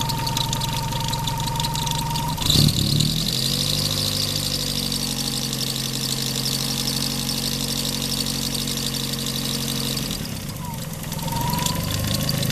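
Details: Daihatsu engine at idle: steady whirring drone from rough alternator bearings; the belt had recently shredded; fixed by repairing the alternator bearing.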